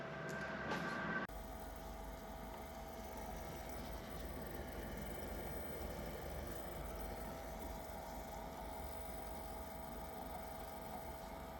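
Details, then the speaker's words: Benchtop mini lathe, nine days old, after replacing a failed clicking jackshaft bearing and refitting the gears: quiet, steady motor hum with an even whine and no click-clack; running normally. "as you can see she's a lot quieter and I got the gears all back on and the everything's running pretty good"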